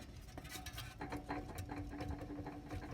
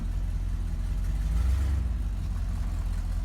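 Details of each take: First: Chevy Cheyenne C20 with the fan and fan shroud off: the stopped water pump, rocked by hand, clicks and rattles with a faint squeak from its worn, loose bearing, which makes a grinding racket when running. It is being replaced with a new aluminum pump. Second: Chevy Cheyenne C20 after installing a new Edelbrock 600 cfm carb and replacing a water pump with a bad bearing: steady, even low idle rumble with no grinding or knocking; the earlier grinding noise is gone.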